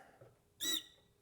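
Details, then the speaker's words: New injector, number one, in a D6 dozer on a pop tester: one sharp, clean squeal as it opens right at 800 PSI with good spray and no leak-off. Normal injector pop test. "injector and it's working nearly perfect I mean it's not leaking off off it's not it's got a good squeal breaking right at 800 PSI"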